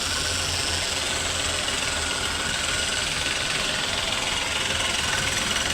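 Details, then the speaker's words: Renault Kwid engine after head overhaul and new piston rings (previously misfiring, low pickup, check engine light), now started: steady, even idle with light fast ticking over hissy background, no misses; running cleanly, no back compression. "Finally हमारी गाड़ी हो गई है start और कोई back compressor नहीं"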